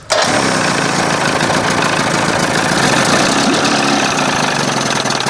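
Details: 1981 Evinrude 20 hp two-stroke outboard, after powerhead flush and new thermostat and gasket (was running cold), idling at the second mark with carb butterfly closed: catches and settles into a busy, crackling idle that never smooths out; sounds way too lean, steaming hot.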